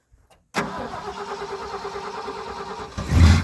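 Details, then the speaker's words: 1976 Ford F350 Super Cab with what is thought to be an FE V8 (owner unsure if 360, 330 or 390), fresh battery, started cold: brief crank, then it catches and settles into an even idle with a blip; runs really good, a little cold-blooded. "Listen around. This thing runs really good. A little cold-blooded."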